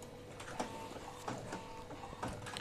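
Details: Epson L15160 inkjet printer running a nozzle check after timing belt replacement: the carriage sweeps with soft whirs and light clicks, with no grinding or skipping; printing is back to normal.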